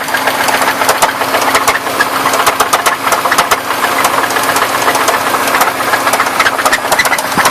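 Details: 1994 Buick Park Avenue engine at idle with sharp rapid bottom-end knocking, roughly four a second; started suddenly weeks after purchase, owner suspects rod knock.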